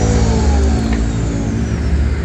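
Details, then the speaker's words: Ryu RPL82A electric planer fitted with a Modern M-2900 replacement armature, test-run with no belt: it spins freely with a smooth steady hum and no knocks, with only normal small brush sparking. "Nah, suaranya benar-benar bagus. Halus, bahkan lebih halus daripada merek Modern."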